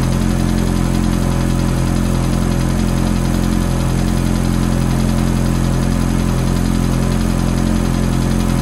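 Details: Ferrari F430 V8 cold idle: smooth idle under a quick, regular tick, about three per second, that stays constant; ticking at cold idle, origin unconfirmed.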